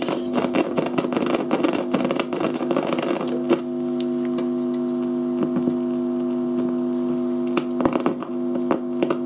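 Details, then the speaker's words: Fidelity HF45 record player with BSR deck, after switch cleaner: steady hum with sharp irregular crackles and pops, worst early on, unchanged or possibly worse; worn, partly open volume and tone pots. "And it's exactly the same, crackly. Okay. In fact, I think the switch cleaner's made it worse."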